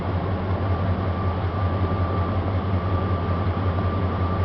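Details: 1999 Dodge Ram 1500 5.2 (318) V8 with intermittent rough running, scoped at crank sensor: steady even low idle burble with faint constant whine, no misses; smooth at this moment before crank sensor tapped.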